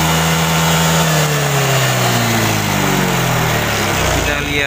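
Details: Honda Vario 125 fuel-injected scooter after repair of bogging at high rpm: note swings up and drops back smoothly with no misses or stumbling; back to normal, revs freely.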